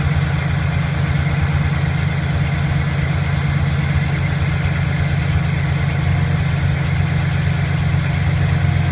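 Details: 2008 Chevrolet Silverado V8 at cold start, low idle: faint uneven tick about three per second over the rumble, from the left side under the accelerator at low rpm.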